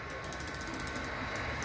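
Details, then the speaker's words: Bachmann Union Pacific F unit model locomotive on track: rapid dry ratcheting clicks, about ten a second, over faint motor hum; a clunk in one of the gears, owner believes a cracked gear. "going on there's a clunking noise in one the gear so you can hear it in the back yeah it's just a clunk"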